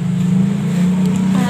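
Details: Piaggio Liberty scooter, carbureted, won't start on electric starter or kickstart: steady starter whir never catches; spark appears then disappears, burnt stator wiring found.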